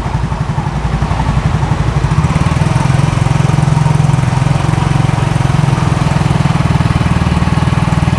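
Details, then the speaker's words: Used scooter revved (a slight "krok" was suspected from the belt just before): the engine picks up and holds a firm, even throbbing pulse with no knocks or belt slap; still smooth, with signs of an oil change, normal revving. "Oke, masih halus. Ya, itu ada bekas diganti oli. Agak kenceng dikit."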